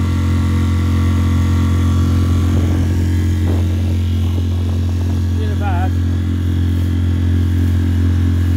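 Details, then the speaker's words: Mercury 3.5 hp four-stroke outboard after the carburettor was cleaned and rebuilt. A low, steady drone that stays even throughout with no surging or misses; it runs smoothly after repair. "thunderstorm little three and a half performing beautifully now i've cleaned it all up"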